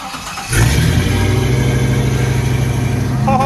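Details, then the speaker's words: Old Jeep TJ cold start after a freezing night with a foot of fresh snow; quiet, then catches within half a second and settles into a steady even deep idle, normal cold start. "We woke up this morning and saw that last night it snowed a solid foot. It was freezing last night. We're stoked about the snow, but we're gonna see if the old Jeep will start."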